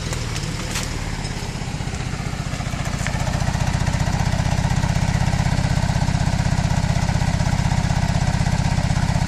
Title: 2005 Mazda 3 rough idle, poor performance